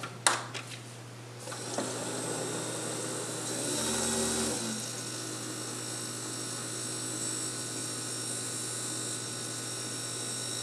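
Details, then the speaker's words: Keurig K-Cup brewer making an 8 oz cup: second pump forces heated water from the inner tank through the K-Cup into the cup; steady low pump hum with water hissing and trickling evenly, a normal brew cycle. "then the heating element has to heat it up to the correct temperature then you hear a second pump Force the water down in through the Kake cup and into your cup or whatever you are putting the coffee in"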